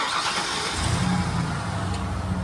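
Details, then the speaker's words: OBS Ford F-150 starts cleanly: short crank, catches right away and settles into a steady, even low rumble with no misses or knocks; normal start. Rear-tank fuel pump has since failed, sounding weak when switched over. "Truck starts up good."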